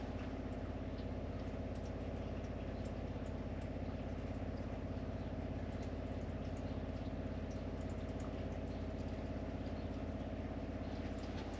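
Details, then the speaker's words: Caravan water pump after noise-reduction work, seating refitted, about 40–42 dB versus about 57 before: a steady low even hum with a smooth pulse and no mounting rattle; normal pump running. "and final test with all the seating back so that does sound much quieter from where we were"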